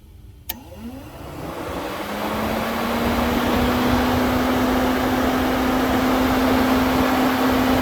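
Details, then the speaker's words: 1998 Jeep Grand Cherokee 5.9 electric cooling fan forced to high speed by shorting the pins with a paper clip: relay clicks, then a steady hum rises into an even rushing whoosh, a normal high-speed fan. "so yeah that was very clearly the high fan speed and yeah that's just a nice easy way to diagnose that"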